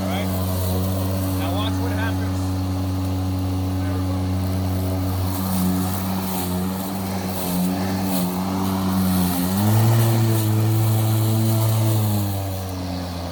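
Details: Milwaukee cordless electric lawn mower that otherwise shuts off seconds after start, here with the switch held by a clamp for constant pressure as a temporary fix: steady, even motor hum at one pitch, no cutting out or surging; normal running.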